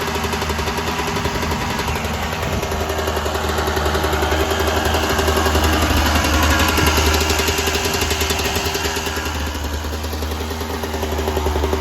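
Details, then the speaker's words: 1996 Yamaha YZ250 two-stroke, fully warmed up, pipe too hot to touch, before carb work: revs swell then sag under throttle; small blips okay but bogs with more throttle, suspected pilot jet issue in carb. "And you guys heard that bog. That was me giving her juice. So the little tiny blips was okay, but as soon as I gave her the juice, nothing."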